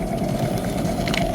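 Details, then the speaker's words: Vehicle, raised wheel spinning: steady coarse rumbling growl with a rough gritty edge, wheel visibly wobbling; worn wheel bearing, wheel to be replaced. "เนี่ยเห็นบ่เบิ่งว่ามันมันคดชัดๆคือจังล้อล่อมอเตอร์ไซค์เฮาดุ้งแหม>>เออเนี่ยชัดแจ๋วเลยเนี่ยเสียงเนี่ยเสียงเนี่ยเสียงลูกปืนชัดๆเลยเนี่ยเนี่ย"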